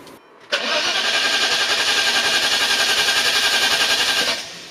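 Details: Maserati 3200 GT V8 biturbo with a weak battery: starter churns for almost four seconds at a slowish even beat of about four turns a second without catching.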